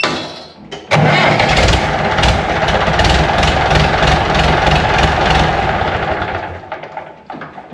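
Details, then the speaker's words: 1970s International 574 tractor after starter work and flywheel teeth dressing: starter engages cleanly and engine fires straight up with no grinding; before it ground three or four times before engaging. "definitely better it would have ground three or four times before it finally engaged"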